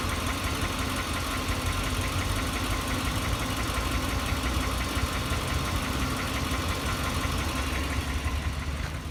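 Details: Knock of unknown origin in a 2004 Lexus LX470 2UZ-FE V8 at steady idle: fast, faint tapping under the hum, best heard close to the engine; valves checked, no adjustment needed, cause still unknown.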